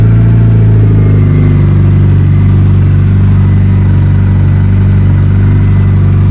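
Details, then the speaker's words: Mitsubishi Evo arriving for tuning, first cold start with no throttle input, before base timing is set: deep, even idle with steady low beat, slight pitch settling, no misses or ticks; still warming up, runs good, normal cold idle. "Still cold. Still warming up. So, we're getting there. But it sounds good. It's running good. Nice start."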